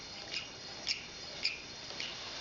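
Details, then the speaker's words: Coaxial hot-air (Stirling) engine with glass test tubes, flame-heated: runs quietly with light high-pitched squeaks about every half second because the glass tubes touch and rub against each other. "a little bit of a squeak there because it's just touching that the glass tubes are touching each other but actually it's quite nice to hear it run"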